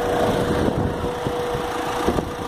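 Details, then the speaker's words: Opel Meriva diesel idling after dual mass flywheel and clutch replacement: steady, even idle with the radiator fan hum on top; the former gearbox-area rattle is gone, running smoothly. "hear the radiator fan kicking in there but that rattling noise is is gone now you just hear the engine which is running nice and smoothly"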